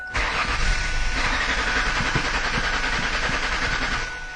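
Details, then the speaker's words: Cranking no-start car diagnosed with a test light, fuel pump relay reinstalled after running the pump bypassed at about 22 psi static: the starter churns about four seconds with uneven catches that never take. Fuel pressure collapses while cranking; not enough fuel. "Wow wants to start but just doesn't have enough gas"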